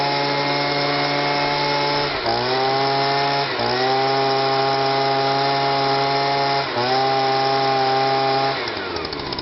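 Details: Stihl SH/BG 85 leaf blower after repair: it had been so choked up it would not start or rev and pumped petrol out of the exhaust. Small two-stroke buzzes at a steady high pitch, dips briefly a few times and recovers cleanly, running smoothly as it should.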